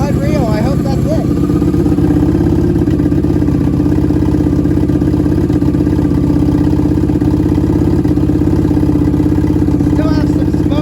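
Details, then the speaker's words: 1987 Honda Super Magna with a new battery and cleaned spark plugs, warming up with the choke partly on: a steady, even, smooth idle that holds speed without hunting. It is idling on its own for the first time. "sounding good that might be what we needed guys you heard how easily she started there turn the choke back a little bit it's actually idling she never did that before"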